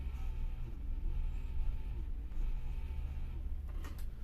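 A steady low drone with a rough, buzzing edge; a worn power supply fan bearing.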